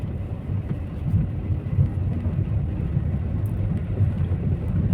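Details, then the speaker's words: Skoda driven on the same rough road after door hinges and beadings were covered, gaps reduced and seals moisturised; only low steady tyre roar, no door tapping or buzzing even over bigger potholes; no door rattle, tyre noise only. "अगर आप सुन सकते हो तो सिर्फ tyres की आवाज आ रही है डोर टलिंग बिल्कुल मतलब ना के बराबर है मतलब है ही नहीं"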